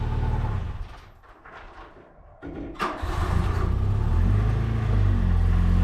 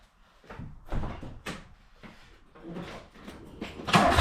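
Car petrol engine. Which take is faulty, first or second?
second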